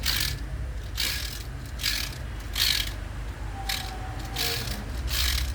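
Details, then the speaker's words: Mercedes Classe A A/C compressor pulley, loosened and spun by hand: gritty, ratcheting rumble from a worn-out pulley bearing; bearing to be replaced in a press to remove the noise, compressor itself not repaired. "rolamento já era. Então vamos colocar na prensa agora e fazer a substituição desse rolamento, tá bom?"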